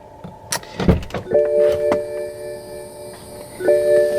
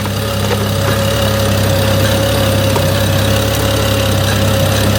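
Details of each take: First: 2011 BMW E90 335i after coolant reservoir tank replacement, bleeding procedure (heat full warm, fan low, pedal held 10 s): steady mid-pitched electric hum of the electric coolant pump running normally, with handling clatter. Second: 2011 BMW E90 335i idling after coolant reservoir replacement and cooling-system bleed, with a hose drip found: steady idle with an uneven, lumpy pulse and faint irregular tick; runs rough, cause unknown.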